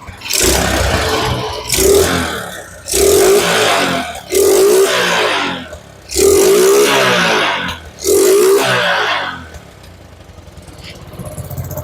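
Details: Suzuki Smash motorcycle, previously sputtering and hesitating under throttle, after replacing weak CDI: six clean revs rising smoothly and dropping back to idle without stumbling or misfire; engine pulls healthy.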